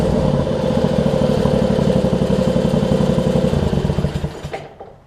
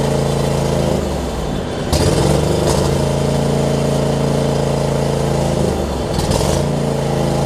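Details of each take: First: John Deere LX279 riding mower, liquid-cooled engine, just started cold with unknown hours: chugs with uneven lumpy beats about four a second, then slows and dies away; rough cold running that seems to improve, cause unconfirmed. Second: John Deere LX279 riding mower, liquid-cooled single, first start after cranking with an empty carb bowl: rough at first, then settles into a steady beat with a couple of brief speed dips and recoveries, no misfire; improving, possibly normal for this engine.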